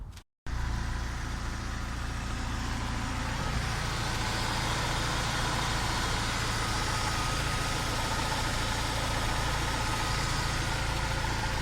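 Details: Mercedes petrol engine after the belt tensioner damper was cleaned and packed with high-temperature grease: smooth, even idle with no rattle or knock from the tensioner, and the roller no longer moves when revving.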